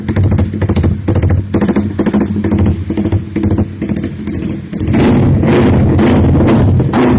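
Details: Juken 5 tuned for rumble idle by changing fuel settings at working temperature: lumpy loping idle with uneven thumps about twice a second, then a steady higher blip; deliberately rich tune running as intended.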